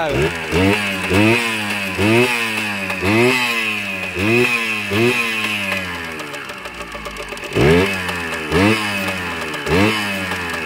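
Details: Kawasaki KE100 two-stroke, first start after fixing a hesitation, muffler tip replaced: crisp blips rise cleanly and drop back to a steady idle without stumbling; engine healthy, idle/air screw still to adjust.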